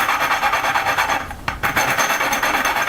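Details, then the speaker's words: Valve lapping on a Honda GX120 valve turned back and forth with lapping paste. Coarse gritty rasp about three times a second; sound change signals when to add fresh paste. "you can hear that all the little drains are sort of sort of broken up in small pieces and that's how you that's how i tell when you put more paste on"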